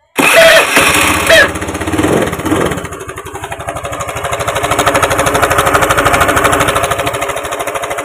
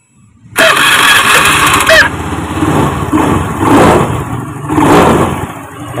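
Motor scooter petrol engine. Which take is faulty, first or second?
first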